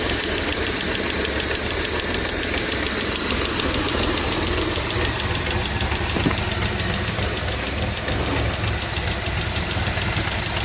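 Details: Dodge Stealth twin turbo at idle: quick, light ticking about three or four a second over a steady engine note; owner suspects lifter tick, not confirmed.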